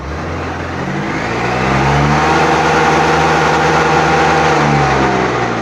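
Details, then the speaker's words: Honda BS6 motorcycle, 42,000 km, no malfunction light, throttle held fully open: engine note climbs, then sags and fades instead of pulling, suddenly picking up again, then shutting off completely at about 20 km/h; low pickup fault. "Oscillator வந்து ஃபுல்லாக முறுக்கி தான் பிடிச்சிட்ருக்கேன். இருந்தாலும் வண்டி வந்து பார்த்திங்கன்னா அப்படியே அடங்குது. மறுபடியும் சடனாக பிக்கப் ஆகுது."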